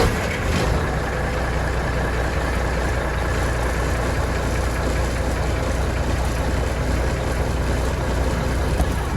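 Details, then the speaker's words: 1988 Mack fire engine diesel on a warm day, after the leaking injector primer pump plunger was removed and capped off: quick catch then deep, steady rumble with no stumbling, no leak found; normal start and idle. "granted it's a warm day but still good start up"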